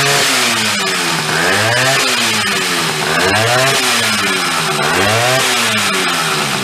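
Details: Chrysler Sno-Runner snow cycle (title says 1979, speaker says mid-70s), sat over 40 years, revived; two-stroke on choke with a shot of old fuel, buzz rising and falling with throttle about every two seconds, pulling cleanly; running.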